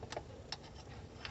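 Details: Chevrolet Celta engine with camshaft being replaced: sharp, uneven valvetrain ticks over a low engine rumble, possibly from a worn camshaft; camshaft, rocker arms and valves to be replaced.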